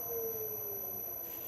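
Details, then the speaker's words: Hopewind 5 hp VFD, ramping down: steady electric tone sliding smoothly lower with a faint high whistle as the drive brakes the motor to a stop; normal controlled stop. "and when you decelerate it breaks it just doesn't coast down it actually breaks the motor down slowly and I'm gonna let it come to a stop and"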